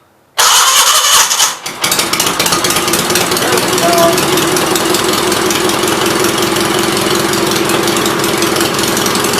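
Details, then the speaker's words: 1976 Gravely 816 single-cylinder engine, valves ruled out, battery connection found at fault, new spark plug fitted: catches after a brief crank, then settles into a loud, rapid, even putter through an open pipe; normal running. "i'm gonna sit and let it run and uh look at left side out you see it's just starting now awesome"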